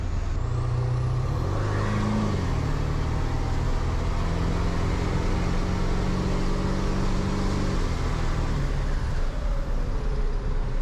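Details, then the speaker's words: Ford 7.3 PowerStroke diesel after new KC turbo, up pipes, plenums, oil crossover and fuel bowl reseal, running with just the downpipe, no full exhaust yet: loud, deep, steady idle with raw open-exhaust bark, no knocks; runs good, rowdy; normal loud idle. "all right runs good sounds pretty Rowdy with just that downpipe I got to say"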